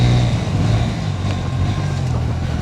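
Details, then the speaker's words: New Honda Hornet 125 (125cc single, same engine as SP125 with sportier mapping) riding: deep, steady exhaust thrum, smooth and even with no ticking or misses; rider says it sounds like a powerful 150cc bike; normal exhaust note. "इसका sound भाई 125 CC के जैसा तो बिल्कुल भी नहीं लग रहा है। एकदम ऐसा लग रहा है जैसे मैं 150 सीसी की बाइक एकदम पावरफुल बाइक चला रहा हूं।"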